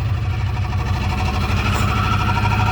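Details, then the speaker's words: Car after a transmission swap (failed front pump/torque converter), new exhaust pipe fitted: loud puffing idle with a low chuff on each pulse. Exhaust is leaking at the headers because the header bolts are not fully tightened. "exhaust bols up to the headers at it needs to be tightened down all the way they're not all the way tight"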